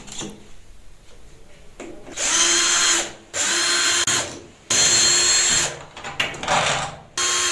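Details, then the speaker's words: PVC door handle giving sharp, high squeals each time it is pressed down; to be cured by lubricating with liquid grease. "Bu kapı kolumuz gıcırdıyor"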